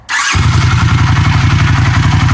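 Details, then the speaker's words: 1982 Honda CX500 Custom, 12,000 miles, unstarted about 12 years, cold at about 30°F, one button push: starter catches almost instantly, even steady low thump, no misses or exhaust leaks; idle may need adjusting; clean cold start. "I have to mess the idle and stuff a little bit especially since it's cold and all that but it sits right there it it's nice it's [Music] quiet no exhaust leaks it's a nice quiet little bike"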